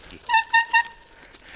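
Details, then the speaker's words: Bicycle descending a mountain road, with three short, sharp, high squeals as the brakes bite. The rider calls the brakes very squeaky and needing a fix. "This little mountain runs me, my brakes really f***ing squeaky."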